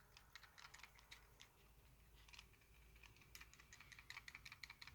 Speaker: it rattles if i hold onto the silver bit which i thought might have been a bit loose which it isn't so if i hold on to that you still get the shaking sound when i go to straighten my hair and pull away i just get the shaking rattling sound